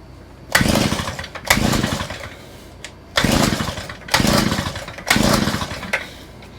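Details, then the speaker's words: Small engine with a new Chinese carburetor, its reversed fuel pickups just corrected, catches in short bursts about once a second and fades each time; fuel starvation from a kinked fuel line, later straightened. "You know what I think the problem is? There is a little kink in this line."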